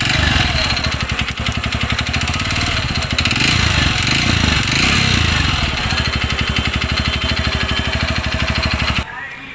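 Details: 2020 TVS Radeon BS6 fuel-injected motorcycle with low mileage, sound changed suddenly: single cylinder idling with a steady, fairly quick knock on every firing beat; timing chain checked and fine, owner suspects piston.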